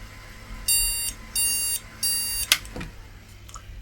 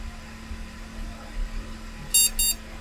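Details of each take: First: IBM NetVista Pentium 4 desktop board: clicking, then three short evenly spaced high beeps and a click. The board is failing its startup test. Pressing on the CPU changed the behaviour and moving the RAM didn't help. The cause is unknown. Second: IBM NetVista Pentium 4 PC with its original hard drive: right after power-on, two short high beeps over a faint fan hum, a normal POST; board starts, BIOS appears and Windows XP boots.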